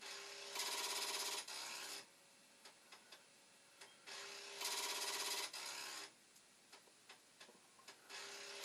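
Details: Commodore 1541 disk drive, read/write head cleaned, mechanism on a working power supply and board: second-long bursts of whirring spindle with faint clicks, speeding up and slowing; spins but won't read, mechanism or head suspected.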